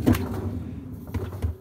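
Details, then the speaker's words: Fisher & Paykel Smart Drive top-loading washer: drum spun by hand coasts with a low steady rumble from worn drum bearings, the reason the machine is in for bearing replacement. "at least until the motor starts kicking in and breaking and have a listen to the bearings and this one here has got a bit of a rumble one of this why it's in the workshop at the moment it's for bearings to be done on it"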